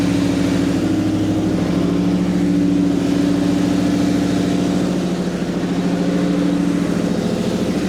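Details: 2007-2009 Ford GT500 supercharged, first start after low vacuum bypass valve install, supercharger removed and refitted; steady raised idle, strong constant hum, no hunting, idle still set high from earlier stalling; checking leaks.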